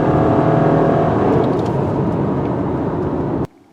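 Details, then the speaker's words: 2019 Subaru Forester with CVT on a 400-mile test drive, floored: the engine holds one steady droning pitch like an outboard motor instead of climbing through gears. This is ordinary CVT drone, and the transmission sounds healthy. "You hear that droning, called the CVT drone. It sounds like an outboard motor. And again, love that drone noise."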